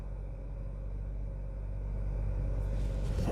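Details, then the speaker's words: 2013 Hyundai Sonata Theta 2 engine, first start after in-car rod bearing repair with polished journals and new bearings, having sat a couple months: deep, uneven loping idle about four beats a second, running rough, cause not yet known. "so with that being said this is the first time it's starting and I'm starting it with you guys so let's see what this thing will do definitely running rough"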